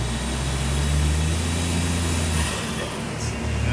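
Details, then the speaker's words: 660cc AWD Daihatsu Mira kei car on a dyno at about 4 lb boost: a steady heavy drone under load, revs wandering with no pickup. The clutch is slipping and the flywheel is very hot. "So I'm off the clutch alto together. >> That's so slippy."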